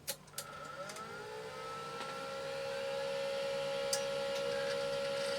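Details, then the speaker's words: Amstrad PC2286 hard drive on power only, with no IDE card connected: whirs up in pitch over a couple of seconds, then holds a clean steady hum with a few seek clicks; quieter than the PSU fan, a healthy spin-up. "well it's SP up and it's seeking that's S I mean I'm getting more noise from the fan in the PSU than I'm actually getting from that hard drive"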